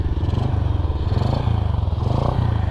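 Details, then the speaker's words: Astrea Grand motorcycle fitted with a Jupiter Z carburettor whose vacuum membrane was replaced the day before. Even, steady single-cylinder putter at about nine pulses a second with no stumbling or hunting: it now holds a clean, normal idle. "gini ya. Jadi ini sudah bisa langsam. Dan kemarin tuh sempat tak ganti membran vakumnya di karbu itu, dan ini sudah normal."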